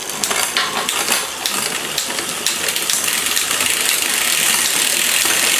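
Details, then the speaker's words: Liv Intrigue road bike with new chain, cassette and cables, after adding cable tension to cure noisy downshifts; crisp single clicks stepping across sprockets over freewheel hiss, now in highest gear, shifting clean. "Much quieter coming down. You can tell that difference. So, that's in highest gear at the moment."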